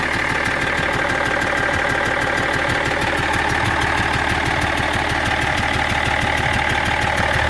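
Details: BMW 330d E46 diesel at idle: even, fast ticking about three per second over the clatter; abnormal engine noise no mechanic has been able to locate.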